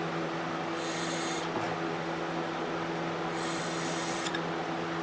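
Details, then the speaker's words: 1998 Yamaha Grizzly 600 4x4 carburetor, cleaned with new O-rings after long storage: air blown through the float needle valve with the float down passes freely in two short hisses, so the needle opens properly; inverted, the float closes it and no air passes. "if you put some air in here just blow on it when it's up like this you know your float's going to be down you can hear air coming"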